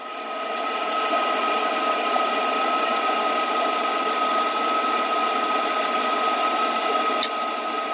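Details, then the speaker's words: Lennox 95G2UHO70BV12-09 furnace gas valve, microphone held at the valve, heat call made by manually jumping R and W: steady blower hum, then one sharp click near the end as the gas valve opens normally. "See, you heard that click? When you hear that click, the gas valve will come on. I want you to remember that click is very important."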